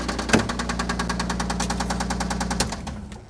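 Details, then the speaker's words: 1997 Toyota Land Cruiser (FJ80) idling with a rapid, sharp metallic engine knock until shut off; source not yet located, engine may need replacing. "Oh, that doesn't sound very good. Any of you gearheads know right away. That is not a good sound."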